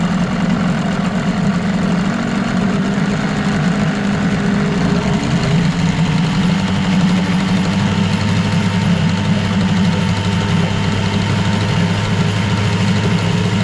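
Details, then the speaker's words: 1989 Evinrude Yachtwin 6 hp two-stroke outboard in test tank, smoking: flat rattly drone barely changing speed; no RPM pickup through first three-quarters of throttle, only at full; carburetor or fuel pump suspected. "there's definitely something wrong there about three quarters of the throttle nothing happens and then when you hit the end of it then it starts to pick up RPM so I don't know whether that's a a carburetor issue or or a fuel pump"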